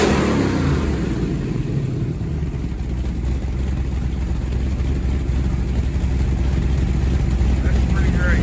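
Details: Freshly rebuilt Ford 427 medium riser FE V8 for a 1967 Galaxie 500, first start-up: deep lumpy rumble firing and running steadily, picking up smoothly on the throttle; healthy.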